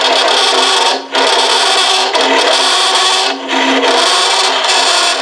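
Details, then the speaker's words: Turning a hollow form vessel: rough buzzing scrape with a steady hum, breaking off between cuts, as the hollowing tool chatters from too much overhang past the tool rest; the remedy is a bigger tool. "And I've got this already so far back that I just can just barely do this ed edge on this inside. So, that's what I'm going to try to do here. You hear the chatter?"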